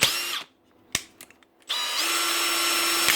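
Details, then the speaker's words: Makita DHP486 brushless drill after quick trigger press: steady, even high whine with no grinding or slipping; gears engage cleanly, unlike slipping when trigger is whacked hard. "give the trigger a quickly press and Away you go it'll lock in every time then that's what it's actually doing"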